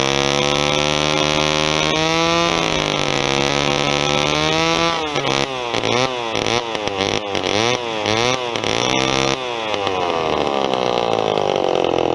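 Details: Vintage Homelite XP1020 chainsaw, carb sat a long time, fuel line replaced: revs high then hunts and stutters in surges before settling, running rough; owner thinks it's not an air problem but the carburetor needs a kit.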